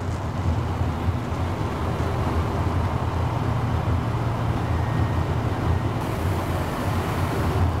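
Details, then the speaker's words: 1970 GMC Fleetside pickup, 350 V8 with Turbo 350 automatic, driving on the freeway: steady low drone under road rumble, no knocks or misses; V8 cruises smooth and even, normal running at cruise. "You won't be unhappy the way this runs and drives. These 70 Chevs pickups are very good driving trucks."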